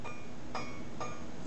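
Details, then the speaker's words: Scroll saw blade plucked after applying only a little tension at the tensioning knob; three dull, quickly fading tones with a slight buzz and vibration. Blade is slack and under-tensioned, needs the knob tightened. "you can hear that sounds very dull and has a bit of a vibration to it so I'm just going to tighten up on my tensioning knob a little bit"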